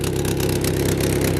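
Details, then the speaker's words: Vauxhall Vectra idling after a difficult replacement of the exhaust flexi section: rapid, raspy chuffing on every firing pulse. Exhaust is blowing badly at the new flexi joint. "Yep, that sounds pretty rubbish to me. Let's go and see where it's leaking from."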